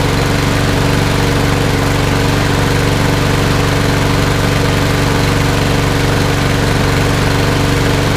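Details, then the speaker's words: Toro Recycler mower, Briggs & Stratton EX OHV engine, after flushing water from gas tank and carburetor and replacing the air filter: steady, even drone with an unbroken low pulse, no misses or surging; runs good. "foreign runs good so that's a wrap"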